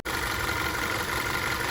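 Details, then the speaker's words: Audi Q5 2.0 TFSI with replacement engine, after a few miles of driving: steady idle with fine injector tick and no lifter clatter; healthy, proper sound. "So this is how the engine runs now after it's been driven for a few miles. All right, this is how it's supposed to sound."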